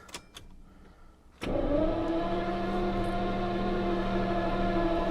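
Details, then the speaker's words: 1977 Jaguar XJ12 that broke down with a loud bang after an hour's drive, cranked next day after sitting overnight on a charged battery: starter whirs steadily, caught once but won't start; spark and distributor to be checked next. "I'm just priming it a couple times and let's see you hear that it's for caught once"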